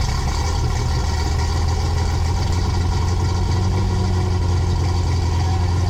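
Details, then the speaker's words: 6.8 LS3 stroker V8 in a '55 Chevy pickup, first fire-up after build, with oil pressure and no valve-to-piston contact: deep, steady, even lumpy idle with no misses or knocks; normal idle. "oil pressure and vroom vroom noises I know no valves hitting Pistons"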